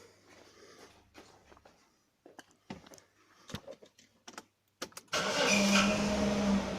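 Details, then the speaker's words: Jaguar X300 after retensioning the alternator belt: engine starts and settles into an even idle, faint brief whistle only at startup then fades; belt squeal resolved, normal idle. "et là on entend plus de sifflement hormis un petit peu au démarrage"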